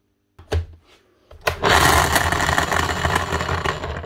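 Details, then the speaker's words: Bosch GSH11E demolition hammer damaged from wrong assembly, switched on: harsh rough grinding roar with raspy edge; suspected bad bearing or damaged gear teeth inside, not confirmed. "hopefully that's just a bad bearing but that sounds very bad sounds like there's been Damage Done"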